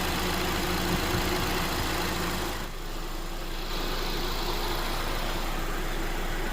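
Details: 2022+ Honda Civic LX 2.0-liter idling with belt refitted: steady, even idle hum with no squeal, chirp or rattle from the belt area; no noise heard.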